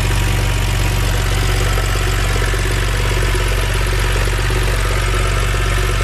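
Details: BMW N52 six-cylinder petrol after valve cover and Valvetronic motor gasket replacement: even, steady low idle hum, no knocks or ticks; healthy.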